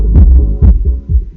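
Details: Soundigital 12000.1 EVOX 1-ohm car amplifier after repair, powered with remote on: deep bass thumps come through cleanly and strongly with no crackle, hum or cut-outs; amplifier working normally.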